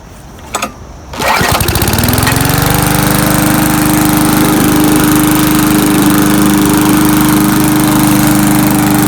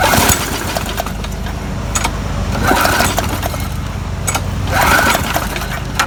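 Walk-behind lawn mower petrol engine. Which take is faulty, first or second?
second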